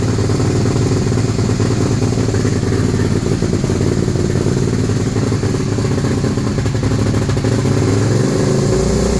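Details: 2001 Suzuki SV650 V-twin that just started misfiring/backfiring, wouldn't start unless air intake covered: loud running with uneven, stumbling beat and irregular pops; misfire, cause not confirmed.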